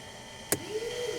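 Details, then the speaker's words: 1964 Aero Commander 680 FLP that sat 20 years in a hangar: the left fuel and hydraulic emergency shutoff switch is turned off, giving a sharp click and a short motor whir that rises and settles within a second. The firewall shutoff valve is operating normally. "So during an engine fire, this is what you turn off. So you open up, that's your left one, turn it off, and listen."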